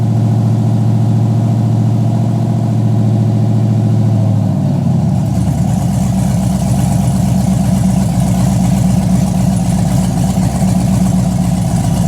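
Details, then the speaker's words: Chevy Blazer V8 at first start-up after rebuild with headers already hot; a blip of revs, then a loping idle rising and falling about four beats a second. This normal big-cam lope comes from the cam. "But that noise, you said that it was the cam doing the room, room, room, room. Yeah, that's making it."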